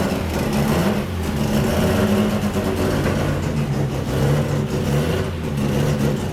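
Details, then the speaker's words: Rotary-engined Miata ("Doomsday") on its first start after a build: busy, slightly uneven burble with deep drone settling into a self-sustaining idle, smoky; running good, not getting hot. "all right we need it for 40 pounds of boost idling on her own"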